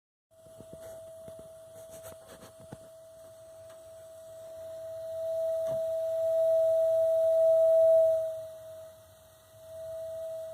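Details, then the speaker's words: Gas water heater burner making a steady pure singing whistle that swells louder and softer; the burner jet is the source, and disturbing it by getting in front of the jet stops the noise. "that's the noise that nobody else has been able to get rid of you can tell me about but I fix things so I'm going to show you how to test it"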